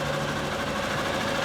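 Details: 2011 Honda Bros 150 motorcycle after shop repair of a customer-reported strange engine noise, test run: steady, even single-cylinder idle with a light regular valve tick, no knocking. Normal idle.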